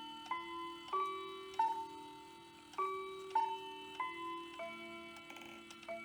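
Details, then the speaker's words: Hamilton bracket mantel clock from an estate sale (movement doesn't run, chimes work), hour strike: spaced bell strokes ring softly and unevenly, some barely sounding, because the strike hammer doesn't slam down on the gong hard enough. "so the outer strike does have a small problem it should sound like this but it doesn't slam it down hard enough"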